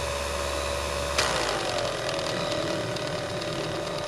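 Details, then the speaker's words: Revere 85 movie projector after oiling: steady motor whine drops sharply in pitch when the clutch engages the sprocket drive and stays lower; motor slowing under load. "seems to slow down when I kick it in"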